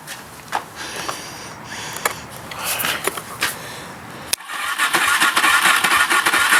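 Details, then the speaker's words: Kawasaki KFX 400 ATV with choke on, after finding a loose ground wire: uneven cranking with a few weak catches, then a sustained whirring churn that never idles. It cranks but won't start, and the owner suspects the starter, unconfirmed. "turn the choke on so it wants to start but just can't I think I think it's a starter"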